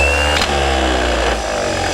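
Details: Bosch 24 V starter from a stationary engine, returned by customer, bench-tested after reassembly with solenoid lubricated: sharp clack as drive throws out, then steady even whirr without grinding; normal engagement.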